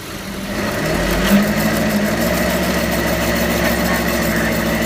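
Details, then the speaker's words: Toyota Prius driving and speeding up: steady droning roar that builds with speed like a jet airplane, then holds loud and even, from a bad wheel bearing. "it was a Prius that makes a noise like a jet airplane go for it go a little faster it's going faster"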